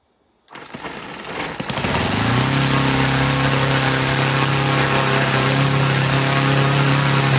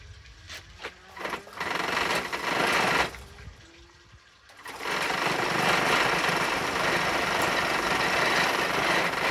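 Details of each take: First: Laser four-stroke model engine in a Flair DR1, previously seized with low compression, after carb adjustment with factory settings lost: catches after sputters, settles into steady even buzz, running cleanly; needle not leaned. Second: Laser model four-stroke engine from a Flair DR1, lacking compression, primed with fuel and glow power: buzzy starter whirring spinning freely and evenly with no firing; engine cranks but will not start, no compression.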